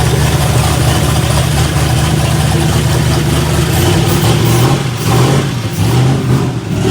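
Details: New boosted 5.3 iron-block engine with 13:1 compression, first start after MAP sensor ground and reference wiring fixed: loud, deep engine holding a steady, even idle with light throttle blips; normal idle.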